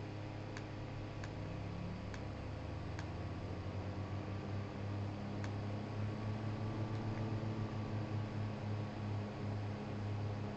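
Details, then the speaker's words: G5 CPU fan converted to a Zalman motor, running near its 3,000 rpm peak at 12 V: low, steady hum with a faint even whir and occasional light ticks; much quieter than the original mechanism; normal fan running. "I think you'll agree the converted fan is much quieter than trying to run the original mechanism."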